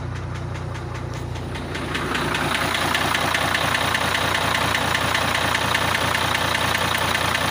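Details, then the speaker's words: International truck with a Cummins 11 diesel at idle: heavy, regular knock about 2.5 times a second. Unplugging cylinder 5's connector reduces it slightly, while other cylinders change nothing. "на фишки отключаю 5 цилиндр чуть чуть меньше становится на остальных так не помогает ни че го"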